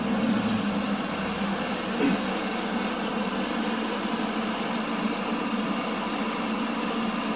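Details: 2020 Chevy Equinox 1.8 turbo after R1234yf AC recharge: steady even compressor whir at idle, no knocking, rattling or cycling surges; cold vent air, pressures about 2 low and 10 high side, within range; healthy AC compressor.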